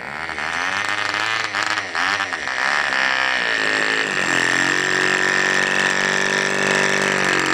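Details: Tiny Cox-based diesel mini generator, run with the exhaust open, still being tuned, fuel hose clogged: high buzzing that hunts and surges for a few seconds, then a steadier whine; rough running, uneven speed.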